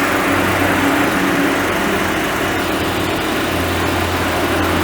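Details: Chevrolet Onix 1.4 automatic LTZ idling evenly with a steady low hum, no knocks, ticks or whine, after 40,000 km service and timing belt replacement; normal idle.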